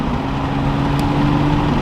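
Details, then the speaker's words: MK5 Toyota Supra cruising with windows down after fitting Armaspeed Windblock side mirrors, recorded on the main camera: steady even wind rush and road hum with no low pulsing bass boom; buffeting gone, sounds like a normal car. "And nothing whatsoever. It just sounds like a normal car now. Cruising with the windows down."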